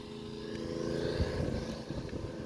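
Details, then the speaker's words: Small petrol gas-powered water pump with fresh high-octane fuel pulling from a well to fill totes: steady buzzing run under load, no misses or knocks; pump engine running normally. "And so right now I got the gas pump going, pulling from the well,"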